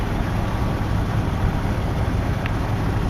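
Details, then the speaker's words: Jeep ZJ 4.0L inline-six just restarted after an oil filter adapter leak repair: a deep, steady idle with a slight lifter tick that is heard only on startup and warm-up; normal. "of course it is a 4-liter you can hear this little topping but when this guy's warmed up you barely hear barely hear only on startup and in the warm-up process do you actually hear them"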